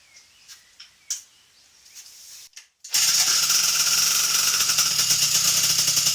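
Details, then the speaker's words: MBK 51 with Doppler 50cc liquid-cooled kit, idle jet raised from 42 to 50, main jet not yet set, cold start on choke in a garage at about 28°C: a few clicks, then catches first try and settles into a steady, even buzzing idle. "Bon, ben impeccable. Du coup, elle démarre du premier coup à froid alors qu'avec le gicleur de ralenti à 42 là, plutôt, j'avais du 42."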